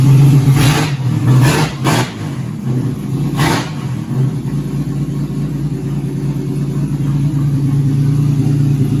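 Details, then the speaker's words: 2004 Ford BA Falcon XR6 six-cylinder, first start after sitting 3 years in a shed: a few quick revs settling to a steady even idle, no knocks or misses; normal running. "so I'll get the old boy to see she'll fire up for the first time in 3 years it's running"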